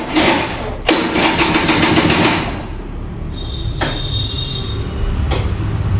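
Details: Vintage Kinetic Honda 2-stroke scooter, early-morning cold start: rough, labouring churn with uneven knocks as it cranks on a draining battery, then ragged firing as it barely catches.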